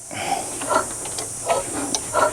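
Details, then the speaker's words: 1963 Chevrolet C-20 truck engine, long abandoned, cranked with a spark plug out. Wet hiss and sputter puffs from the open plug hole each turn; moisture in the number two cylinder, surface rust expected. "so there's going to be some surface rust inside that cylinder hopefully we can bring it back around"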